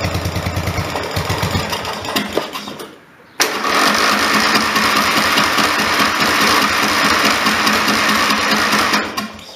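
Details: Briggs & Stratton 14.5 HP OHV single-cylinder mower engine, magneto found not square to the motor, plug regapped: chugs unevenly, stalls, restarts with a sharp pop, backfiring and rough lumpy running continue; flywheel key later found not sheared.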